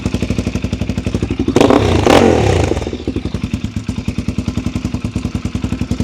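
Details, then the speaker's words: 2006 Suzuki DR-Z400SM single-cylinder, possibly warm enough not to need choke, after fitting FCR carburetor via Mototech adapter, Yoshimura full exhaust and 5×4 airbox: even thump about four beats a second, one quick blip, then idles clean and sweet. "Ah, listen to that. That is running absolutely sweet."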